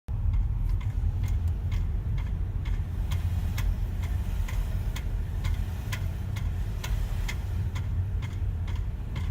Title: BMW X5 Clicking Noise